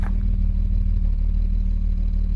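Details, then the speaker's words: 1975 Jaguar XJ6 losing coolant into cylinder 2, running after K-Seal head gasket treatment on a hot day, coolant gauge just starting to rise: steady even idle with a low drone, no misfires; running cleanly on all cylinders. "No misfires, nothing, just running nicely."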